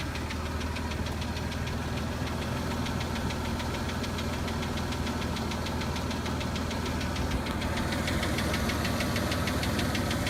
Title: Tacoma - engine knock